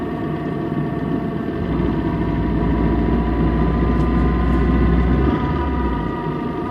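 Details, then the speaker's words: Car transmission with a damaged needle bearing inside a gear: constant low drone with a steady whining tone and even pulsing. "Cuando estos se dañan, se puede escuchar un ruido en la transmisión, algo así."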